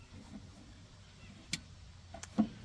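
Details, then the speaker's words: Relay in dog tennis-ball launcher converted to relay logic, 100 microfarad capacitor added so it latches instead of buzzing across its coil; three crisp clicks, no chatter; normal relay click. "Yeah, I can hear it. That clicked pretty good."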